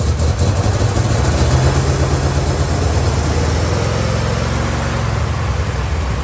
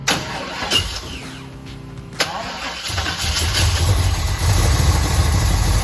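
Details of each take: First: 1969 Chevelle V8 with Turbo 400 transmission, revived after long storage, running on a second, long-shelved carburetor: deep, fairly even rumble settling after start with no stumble or knock; runs well. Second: 1969 Chevelle stored for over two years, started with gas poured into the carburetor: cranks, catches after a couple of seconds, then idles unevenly and lumpy. Fuel is leaking from the carburetor bowl, and the carburetor is judged junk.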